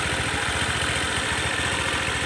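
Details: Honda PCX150 (valves damaged; it stalled on starting or slowing and revs wouldn't rise): steady, regular putter at idle without hunting or dying.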